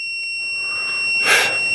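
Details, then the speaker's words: Trailer marker light circuit, meter on continuity between frame ground and one light at about 0.4 ohms: steady, unbroken high-pitched beep, showing that light's circuit is shorted to frame ground. "So there's a short somewhere there. I'm just hooked to a ground, frame ground, and that one light, and there you go."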